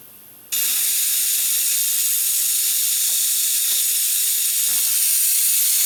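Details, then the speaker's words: 1994 Saab 9000, AC refresh after new condenser fitted, nitrogen pressure test: sudden loud steady hiss of gas escaping from the AC lines; a blown O-ring is suspected. "it sounds like one of the o-rings blew out that thing is going to be a pain"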